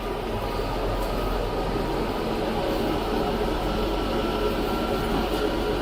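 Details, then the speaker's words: 2000 Nissan Maxima 3.0 in drive after driver-side CV axle replacement: spinning wheel gives steady rumbling roar and drone, no knocks; worn wheel bearings needing replacement. "You can definitely hear the bearings. The bearings definitely need to be replaced in this."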